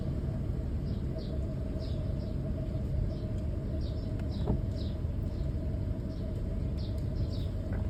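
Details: 2002 Toyota Tundra SR5 TRD: the engine runs with a rough, uneven, weird low sputter, with birds chirping outside.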